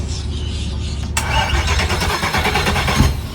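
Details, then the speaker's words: Starting the quad Mercury 400R outboards on an auctioned Midnight Express yacht. The starter churns, then the engines catch unevenly and sputter; some turn over, some hesitate. Said to be not mechanical, they're just not getting fuel. "Some turn over, some hesitate. Do it again. But that's not a mechanical issue."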